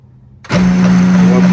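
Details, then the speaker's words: HP LaserJet 2055 (same as the 2035, Pro 400 and Canon MF418/IR1133 base) prints with a loud, steady drone and a rough rumbling rattle; a budget repair follows. "Проблема у нас с ним. Он очень громко печатает, прямо грохот стоит."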